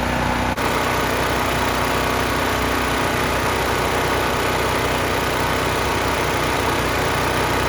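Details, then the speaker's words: Free 10,000 W surge / 8,000 W running generator that sat outside for years, air box had water and mud, cleaned then started: smooth, even engine drone at constant speed with no misses or knocks; runs great, healthy. "this thing runs great Pur like a kitten"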